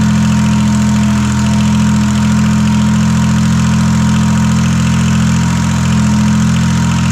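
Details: Detroit Diesel 3-53 two-stroke diesel, first start after 25 years idle, rebuilt in 2000 with camshaft installed backwards, now reversed to correct configuration: steady, even drone with low firm beat, clean revving, no knocks or misses; normal running.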